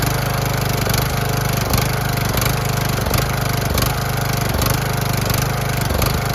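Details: Cheap used riding lawnmower, small single engine restarted after a loose part was bolted back on without a gasket (threads rusted): a lot quieter, steady even throb with no knocks or misses, but still blowing some oil from somewhere; normal running.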